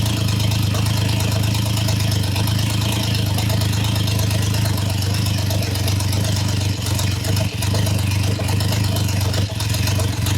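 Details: Triumph Trident T150 triple, first start, warming with choke open, oil and dirt burning off exhausts, oil returning well: deep steady idle thrum with brief stumbles and dips; carbs need setting, timing to be checked with a strobe.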